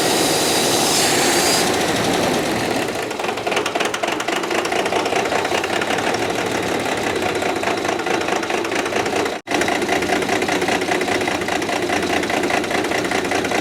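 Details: 1995 Dodge 12-valve Cummins diesel after the injection pump was refitted: revs hard and stays racing instead of settling to idle. Diesel engine runaway.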